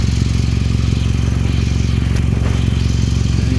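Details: Low-model Toyota Camry at idle, loud raw exhaust with a sharp puffing pulse about three per second; exhaust badly holed with a visibly worn gasket, failing safety inspection, to be cleaned and sealed with repair compound.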